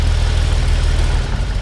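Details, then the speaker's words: 1959 Chevrolet Model 1305 panel truck, cold start with split exhaust manifolds and dual exhaust, choke working and adjusted: deep, steady, smooth cold idle on choke with no knocks or misses. "So go ahead and fire it up. You know, the choke works. Go ahead and just turn the choke down just a little bit so they can hear it go up and down."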